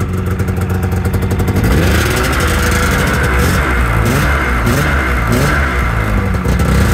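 A rough, busy two-stroke idle picks up and revs cleanly, staying lit and even throughout: the engine runs fine after sitting.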